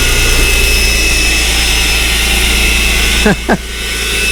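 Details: 2008 Mercedes CLK350 with 129k miles, bought as a seized engine, at its first start after unseizing. It was run with broken vacuum lines, a broken connector and no coolant. A constant, even idle hum with a steady hiss from the running secondary air pump; no knocks, a smooth idle.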